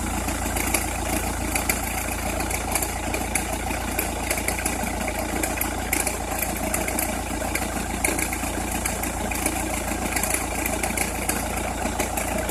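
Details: Opel Meriva, cold engine at idle: uneven fine crackle over the steady hum, only when cold or at very low revs, stops once warm; noise localised to one side, cause unknown.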